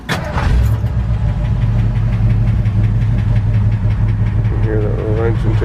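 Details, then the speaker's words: 1981 Ford F-100 with 302 two-valve V8, automatic, about 104,000 miles, at idle: light, quick, steady ticking over the V8 idle. "Anyway, I'll give it a quick little start up here. You can hear the engine tick."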